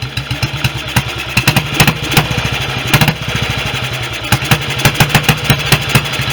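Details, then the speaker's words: Restored BSA B31 single with magneto ignition, on 30-grade oil and no intake gauze: a slightly lumpy idle with irregular thumps. The owner found an oversized carb jet, suspects it is running rich, and plans a smaller jet; not confirmed. "um this has got a rather large jet in it that's anything which is probably explained why it was quite sorted up when i stripped it initially so i'm going to get a smaller jet for sure"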